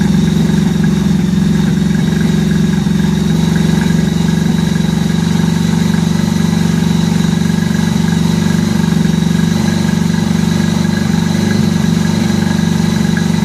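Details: 1983 Honda Gold Wing flat-four after new head gaskets and fresh spark plugs, coolant added, warming up. Steady, even low idle with a smooth unbroken rumble, no misses or knocks: normal warm idle.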